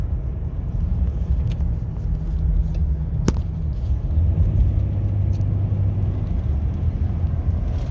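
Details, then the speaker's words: 2018 Nissan Frontier after replacing bad wheel hubs and a ripped CV axle, driving: only steady low engine and exhaust rumble, no hum or growl from the wheels — humming gone, hubs healthy. "And right now, there is no more sound, just the sound of the engine and exhaust. But there is no more humming sound."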